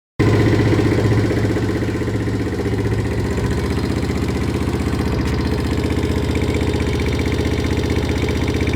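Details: Viper ZS150J single-cylinder at idle and revving: fast light tapping that follows engine speed. Valve tick from excessive valve clearance.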